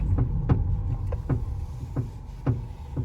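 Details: Coilover clunk when steering, car jacked up, before fix: sharp uneven clacks about two a second from the suspension as the wheel turns. Top mount ball fixed with WD-40 and lithium grease.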